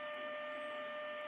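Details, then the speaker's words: Grundig 2147 radio during AM IF alignment after recapping, signal generator test tone: faint steady mid-pitched tone under constant static hiss; signal weak, so the AGC probably isn't kicking in. "but i've got some static which means that the agc probably isn't kicking in good"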